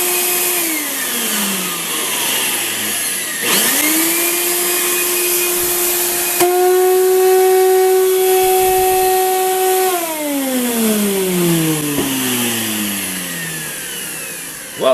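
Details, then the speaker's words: Craftsman 12-gallon wet/dry shop vac with no suction: loud pure siren-like whine rising as the motor spins up, holding, then sliding down; debris clogging the fan blade vane ends so it cannot draw air. "and you can hear that it makes it not vacuum it just makes it into a siren"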